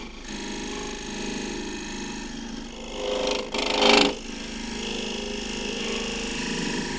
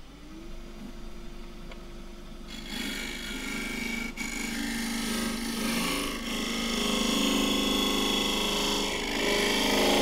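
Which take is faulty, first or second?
second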